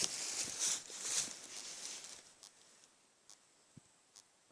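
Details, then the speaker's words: Electric fence energizer rated 20,000 volts, positive wire plugged in with earth wire running to two ground rods about 6 feet apart: after an opening hiss, sharp dry snaps tick roughly every half second with small visible sparks; normal energizer pulsing. "So I'll just plug in the positive there, and You can hear it. It's hissing,"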